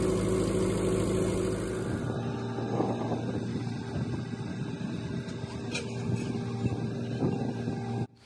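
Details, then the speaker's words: Bobcat T870 skid steer bought non-running at auction with drivetrain issues, started with a small spray of starting fluid: even, steady diesel idle about four beats a second, no knock, misfire or rough start; runs normally. "there wasn't any crazy major noises when the machine started up so i was pretty happy with how it turned out"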